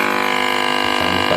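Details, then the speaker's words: CRT TV with China kit PCB, picture fine: constant buzzy hum with rough, distorted edge from the speaker, persisting even with volume lowered by remote; audio hum, audio IC okay. "इसमें sound problem है sound आ रहा है लेकिन sound में humming है खरखरा हट पन है बहुत ही बहुत ही ज्यादा"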